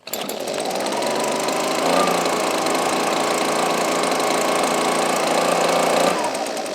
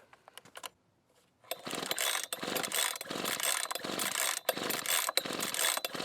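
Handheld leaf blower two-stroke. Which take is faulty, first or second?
second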